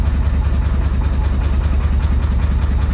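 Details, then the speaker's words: 1985 Chevy Corvette, swamp-abandoned, just after first start with fuel pump resubmerged in tank: low lumpy run with uneven pulse near 100 a minute, pedal to the floor, smoking; rough running, best it had run so far. "she's also smoking I've got the pedal to the floor uh this is the best it's done so far obviously it's it's not very happy"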